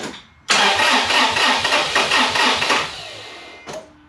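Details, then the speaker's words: Toyota FJ Cruiser 4.0 V6 1GR-FE first start after timing chain replacement for code P0016, fuel pump relay removed to prime oil pressure: starter drags slowly, about two labored turns a second, no firing; weak battery needs charging. "now the battery clearly sounds like it needs to be charged so let me charge it up for an hour and I'll come right back"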